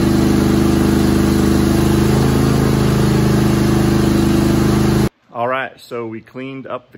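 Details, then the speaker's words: Craftsman GT5000 mower, Kohler Pro/Command 25hp twin, after carburettor clean and reinstall: steady even hum with a regular low beat for five seconds, then cuts off; running healthily and smoothly. "carburetor put it on at first as it started it took a little bit but I think you know there was no fuel in there"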